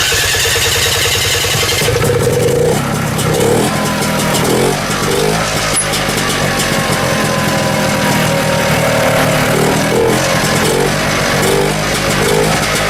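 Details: 1972 Rotax 340 two-stroke in a Tomberlin CrossFire go-kart, started with a newly fitted hybrid clutch, before the belt goes on. It catches after cranking and settles into an even buzzing run with light throttle blips and no knocks; running fine.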